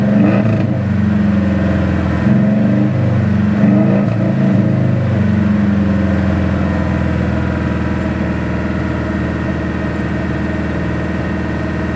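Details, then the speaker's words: Dad's car after an oil change, started on a quarter gallon of found gas: seems to get proper oil pressure but won't idle properly, Sea Foam already tried; idle wavers and surges, then a lumpy uneven beat; rough idle, cause unknown. "there it's like it's getting proper oil pressure i now won't idle pound so any any idea what could be up with it"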